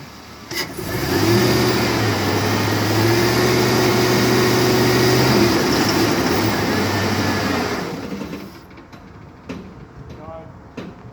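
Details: 2005 Chevy 2500HD 4x4 engine under load at about 2,000 rpm: heavy steady drone with a rough, regular knock beneath it, then drops back; misfire and knocking.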